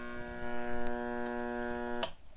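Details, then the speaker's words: 1935 Silver Bell tube radio, after replacing the electrolytic and paper capacitors, volume up: a steady low buzz with a raspy edge drones evenly, then cuts off sharply; hum/buzz, source not yet found. "I hear they've got a lot of buzz"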